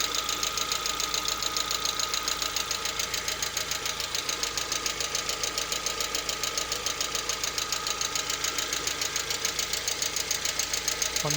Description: Лада Веста пробег 64000 стук появляется при прогрева на 50 градусах. На холодную стука нет и при рабочей температуре также пропадает